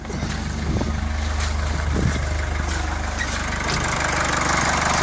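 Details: 2003 Nissan X-Trail diesel that cranked but wouldn't start with no glow plug light, after fixing the glow plug circuit: even low diesel clatter at idle, steady, no misfire or knock; normal idle.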